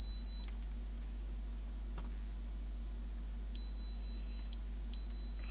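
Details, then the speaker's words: Multimeter in continuity mode probing switch pins on a Philips portable CD/radio player under repair: clean high-pitched beeps switching on and off as probes touch, showing continuity to one pin. Continuity tester beep. "So I have continuity to here."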